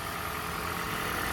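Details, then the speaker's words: 2013 Toyota Prius hybrid, warmed up and checked for a customer complaint of knocking/misfire at start-up and a suspected head gasket leak. Smooth, even idle with a steady hum and no knocks or stumbles; running perfectly fine with no misfires. "trying to figure this out without having something actually happen it's running perfectly fine I don't see no misfires or nothing"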